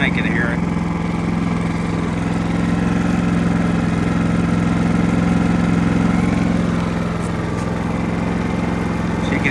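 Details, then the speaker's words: Genmax GM7500 iAED dual-fuel inverter generator set to low idle, 60 Hz, switch on 120/240 V. Steady, even low drone with no misses or surging; a slight rattle is probably from the remote-start handle. Normal, smooth idle. "hear how smooth she's running"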